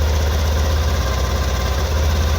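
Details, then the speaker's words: Honda Activa 6G BS6 scooter after replacing damaged parts including the belt: steady, even low putter at idle, no rattle, knock or belt noise; problem solved, normal idle. "गाड़ी start condition में है। सुन पा रहे हैं। थोड़ा सा wait करेंगे। देख पा रहे हैं ना इसमें बेस का आवाज मिलेगा ना ओर का आवाज मिलेगा। सारा कुछ नया लगा हुआ है और परफेक्ट साउंड हो चुका है।"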